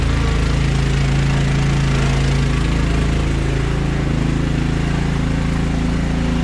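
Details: Other Craftsman LT1000 lawn tractor: the small single-cylinder idles steadily but its speed wavers slightly up and down, a mild hunting surge. Carburetor cleaned twice and throttle bracket and spring adjusted; still surges, owner considers a new carburetor.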